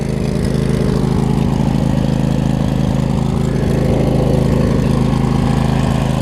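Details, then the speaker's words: Craftsman riding mower with Briggs & Stratton V-twin idles with a steady even thrum, no stumbles or ticking, after valve cover gasket reseal and blade-engage fix; healthy idle. "but I mean look at idols damn perfect"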